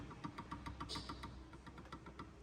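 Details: 2015 Ford Ka, right-side suspension: fast, light clicking knocks of about seven a second caused by play in the shock absorber rod, a hard fault to diagnose.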